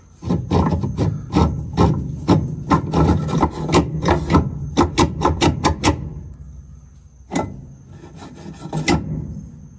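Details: Whirlpool push-button top-load washer, not spinning, with cover and belt off: harsh, uneven rasping scrapes in bursts as the motor runs, caused by the motor pulley having dropped and rubbing.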